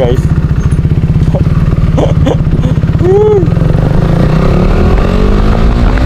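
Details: KTM RC 390, after fixing no-start fuel pump problem (relays and fuses checked): steady even beat, firm low note at constant speed, no misfire or stumble; running healthy.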